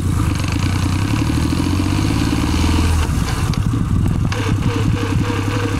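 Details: Suzuki Celerio running: rough, uneven scraping clatter over low engine drone; friction noise from the manual gearbox, cause not pinned down.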